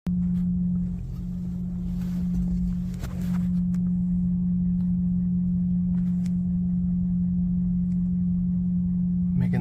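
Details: 2004 Ford F-250 at idle: a loud, steady, foghorn-like hum that goes away when shifted into drive. The owner suspects a dirty idle air control valve, not confirmed.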